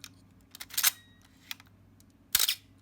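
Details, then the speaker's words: Canon A-1 35mm film camera after lubricating the mirror damper gear: sharp shutter release clicks at 1/4, 1/8 and 1/15 second, the first trailed by a thin high squeak as the mirror settles; squeak persists, dry mirror damper gear. "okay i'm gonna go up the quarter of a second eighth of a second still squeaking 15th of a second still squeaking"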